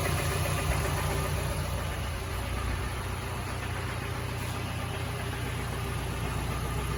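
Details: Mazda CX-7 2.3L petrol engine idling with an uneven low knock, about two or three a second; teardown found badly worn rod bearings (low oil level blamed).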